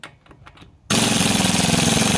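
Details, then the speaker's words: Harbor Freight Earthquake XT 1/2" stubby air impact wrench on setting three, loosening car lug nuts. Sudden loud, fast, even rattling hammer until the nut breaks loose; the wrench works properly. "that's two which works really well and then three I'll just let's see"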